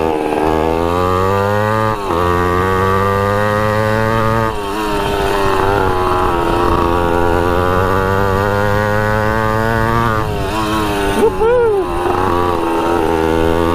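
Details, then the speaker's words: 1980 Honda CR80 barn-find two-stroke on a test ride with the choke off: the buzz climbs and drops but levels off short of the top. Owner suspects the restrictive exhaust pipe, or possibly a slipping clutch; cause unconfirmed. "it starts right up runs pretty decent I think the pipe is being too restrictive that's why it doesn't rev out all the way but um yeah still goes pretty good and it could be that the clutch is slipping too"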